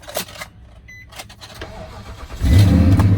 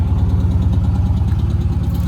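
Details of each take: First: 2006 Nissan Titan at Copart, 162,000 miles: quick crank catches at about two and a half seconds, settles into steady even low rumble with no knocks; sounds good, runs and drives. Normal engine start. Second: Damaged Dodge Challenger SRT 392 V8 at Copart, check engine light on, was smoking: deep steady idle with faint light tap on top; motor suspected abused and possibly blown, cause unconfirmed. Engine ticking at idle.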